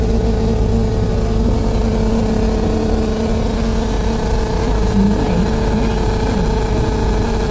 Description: Sitting on upper deck, this noise kept going on nonstop, it was so loud I developed headache.